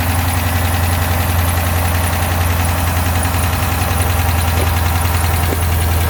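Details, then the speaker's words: 2012 Dodge Charger 5.7 Hemi after misfire repair, first start: steady idle with light fast lifter ticking easing off as lifters pump up with oil, residue burning off exhaust. "we are running the lifters should kind of quiet down here in a second after they fully pump up"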